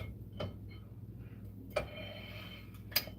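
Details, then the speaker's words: 1990s Mercedes on a jack stand during a brake job, with an overlong wheel lug bolt being screwed in. Light, uneven metallic ticks about a second apart are the bolt striking the parking brake springs; the bolts need trimming to the proper length. "Yeah, you can hear it hitting the springs and stuff in there from the parking brake. Okay. Um so we'll definitely have to trim these."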